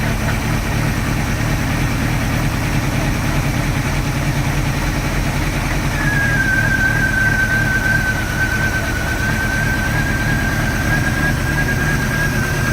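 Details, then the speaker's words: 1986 Sea Ray boat engine running with water on, after a water shutter in the exhaust was found to cause an earlier noise: low, uneven idle thump with a faint steady tone; rough idle, compression check planned, cause not found. "so now what I'm dealing with is the high is the rough idle and I was going through my manual and man there's a probably 20 things that it lives for a rough idle"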